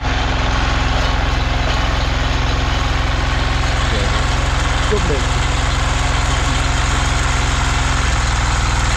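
Steady, even single-cylinder thumping with no knocks, rattles or bearing whine; the tiller engine runs smoothly.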